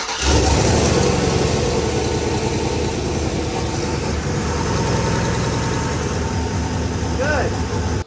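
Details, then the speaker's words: Junkyard-built 700 hp turbo V8 truck, engine hot, after refitting a part to cure a noise: steady, even idle with a deep lumpy rumble and no tick or knock; noise gone, engine healthy. "we are good we are in there like swimwear let's go ahead and confirm that that noise did in fact go"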